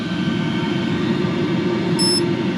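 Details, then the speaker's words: Diesel heater in a garage after about an hour of running, around 300°F at the exhaust outlet: steady, loud, even roar with constant whirring hum, no knocks or surging; burning normally. "I think I've been running this about an hour, and it's pretty noisy, so excuse the noise here."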